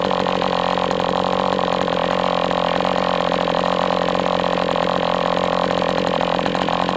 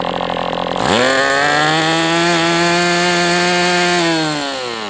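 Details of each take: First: MDS 68 FS Pro four-stroke glow model engine on break-in, near full throttle, almost out of fuel and sucking air. Steady high buzz with a slightly ragged edge as it leans out. Heavy exhaust smoke; carb apparently tampered with. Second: MDS 68 FS Pro four-stroke glow engine on break-in stand, after carb retuning (idle screw had been tampered with), idle bar plug removed; sharp buzz climbs fast, holds steady at high revs, sags at end near out of fuel; normal running.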